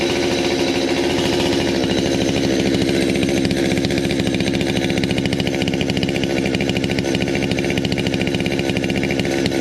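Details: 200T chainsaw, cold start before new carb, intake boot, impulse line, fuel lines, filters and plug; loud fast buzzing two-stroke idle a little high; owner suspects mixture, tuned when warm, and notes it bogs when warmed up.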